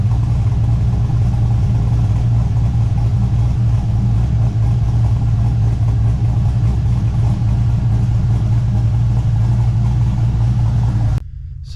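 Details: LS1-swapped Subaru BRZ V8, just fitted with a Michigan Motorsports Stage 3 drift cam, not yet tuned, after warming up a little: deep, loud idle with an uneven chop, roughly two to three lopes a second; the normal big-cam lope.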